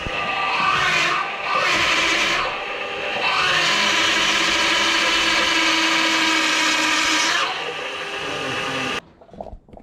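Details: Power steering pump whine on a drift car being fired up for the first time after a build: loud high whine swelling and dropping as the wheel is turned back and forth, then cutting off; sounds like the pump sucking air. Fluid foamed to the top of the reservoir; cause not confirmed.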